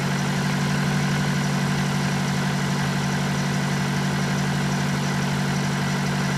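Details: BMW 118d E87 phase 2, late 2008, 120,000 km, diesel at idle: faint, even metallic rattle about four beats a second; suspected known series fault, chain or metal noise, not confirmed.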